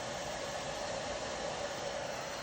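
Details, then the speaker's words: Apple M4 Max MacBook cooling fans roaring under load, a loud steady airy whoosh with faint hum; machine found faulty by Apple and replaced, new unit silent. "My M4 Max, when I got it, was incredibly noisy, and if you haven't watched my first video, this is how noisy it was. They're pretty loud. My M1 never made sounds just like this."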